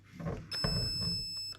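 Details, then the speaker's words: Perun V2/V3 hybrid airsoft mosfet being programmed with the selector: a single steady high-pitched solid tone lasting about a second confirms full-auto fire mode is selected. "So if I wanted to change this to burst, the minute it's got a solid tone. Now solid tone is the end one here and means full auto."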